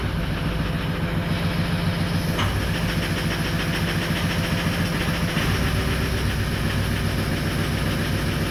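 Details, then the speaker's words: 2004 Ford 6.0L Powerstroke diesel, crank-no-start, earlier bad injector, started only with the ICP sensor unplugged: low, lumpy idle that stumbles; injection control pressure stuck around 1,400-1,500 psi, too high at idle. "now granted it doesn't run great because you got too much pressure um at idle and then you don't have any enough pressure to be you know to try to drive it"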